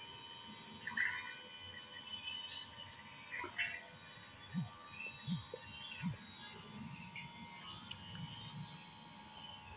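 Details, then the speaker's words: Royal Enfield fuel pump motor after repair, bench-tested drawing petrol: a steady, even high-pitched buzz with no stumbling or rattle. It pumps at good speed with no leaks. "তেল দেখুন তেল টানছে ভালো স্পিডে টানছে পাম্পের সাউন্ডও খুব ভালো আছে কোন রকম লিকেজ নেই"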